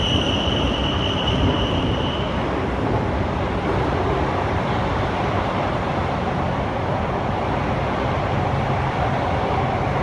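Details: Kawasaki Heavy Industries C151 train 101/102, North South Line, Marina Bay to Marina South Pier, 12 May 2018 around 8pm, recorded onboard; high steady screech over rumble then fading; wheel squeal.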